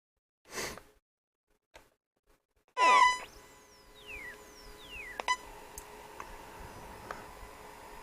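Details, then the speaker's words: Sony ICF-SW55 shortwave radio at switch-on, in for repair of suspected leaking electrolytic capacitors: odd squeaks, beeps and falling whistles over faint hiss, turning itself off; audio amp obviously faulty, cause not confirmed; abnormal audio output noise. "oh so it's making a weird sort of there's obviously a problem with the audio amp in it"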